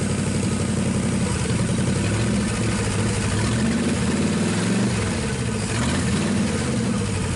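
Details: 1963 Pontiac 389 V8 first start, no hood, hot-wired points ignition: settles into a deep, steady idle with a smooth, low burble and no knocks or misses; normal idle.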